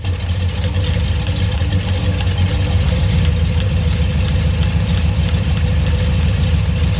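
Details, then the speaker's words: Ford 351 Windsor V8 with a flat-tappet cam, on the dyno after a tuning adjustment: a deep, lumpy burble holding a steady, even beat with no misfire or pinging. The tuner remarks it is idling cleaner now, a normal idle. "I think it's idling cleaner there. Yeah."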